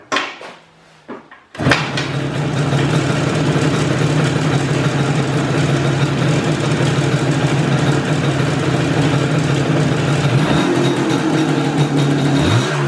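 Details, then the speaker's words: IZh Jupiter two-stroke twin rebuilt with Kent pistons in cylinders bored to 0.2 mm clearance: starts quickly, enrichener on, then fast uneven knocking over idle; piston slap from excessive clearance, knocking not ringing. "почти сразу завелся но к сожалению уже не утешительные звуки слышу"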